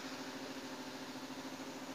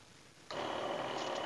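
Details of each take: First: Electric battery backpack sprayer tank, pump motor running: steady mid-pitched hum with even quick pulse holding level; dynamo sounds smooth and strong pressure; normal pump operation. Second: Electric battery knapsack sprayer pump: harsh, rough buzzing whine with weak spray output; diagnosed as a worn pump motor (dinamo), to be disassembled and replaced.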